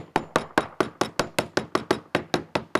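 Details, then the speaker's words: Cornish Bay Crabber Atropos fiberglass cored deck tapped with a plastic hammer: several duller, hollow taps point to a wet, failing core; candidate for removing, rebedding and recoring. "it is a little bit more of a hollow sound there. So this would be a future candidate for taking this one whole section out and rebedding it, recoring it."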